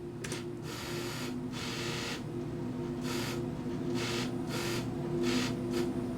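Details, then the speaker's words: Vintage QIC data tape drive after go signal briefly toggled: soft motor hum with rhythmic whirring bursts about twice a second as tape shuttles to correct start position; normal tape positioning before reading. "And that was it. So it's at the beginning, it's at the correct start position, it is now ready to read."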